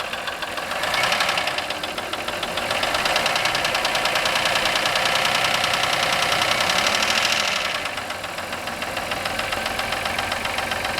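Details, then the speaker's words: 1996 Voyager petrol engine idling at first start in three years, after fresh gas, oil, oil filter and air filter, with a steady sharp knock about three a second over a clattery sound; cause unknown. "Doesn't sound good at all. Got a bit of a knock to it."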